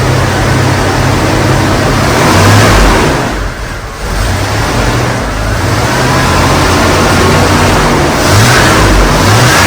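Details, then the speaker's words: Chevy van that had been hydrolocking with fuel, after replacing the faulty fuel injector and fitting a new battery: loud, even engine note rising and falling smoothly with throttle, no misfire or knock; running and revving normally. "oh cool man damn that's running pretty good really check this out"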